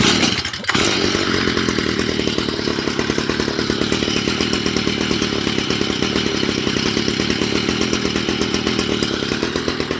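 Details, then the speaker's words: Stihl MM55 two-stroke garden tiller after a Zama carburetor rebuild (fuel had been flooding the engine in storage) and a new air filter: after priming, choking and a short pull it settles into a steady, even buzzing idle without stumbling or surging. No adjustments were needed. "That sounds real good. No adjustments or anything. Idling."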